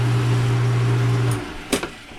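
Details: Dishwasher motor after freeing the jammed, tilted fan blades behind the bottom plate, which had caused buzzing: steady low hum running smoothly over a second before stopping; motor turning freely, running normally.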